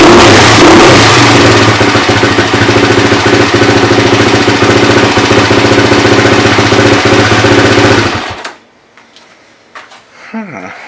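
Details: Suzuki LT-R 450 quad after replacing a suspected fried CDI that gave intermittent, single-spark ignition: the single cylinder thumps crisply and revs cleanly for eight seconds before shutting off; ignition fires steadily and the engine runs healthy.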